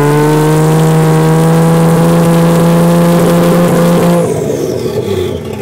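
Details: 1JZ engine in an FC3S chassis revs strongly, then cuts and breaks up instead of pulling into boost; the fix was grounding the neutral safety switch.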